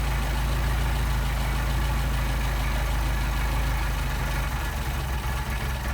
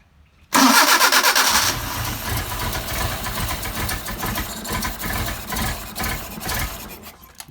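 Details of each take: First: Mercedes 190SL Solex carburettors on a test engine: a low idle that stumbles and loses its even beat as the idle mixture screws are turned in too far, a lean misfire from choking off the fuel, before the screws are backed out for best running. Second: Mercedes 190SL Solex carburettors on a test engine, completely cold and not yet adjusted, after priming the fuel pump: a brief crank, it catches at once and settles into an uneven, slightly hunting fast idle.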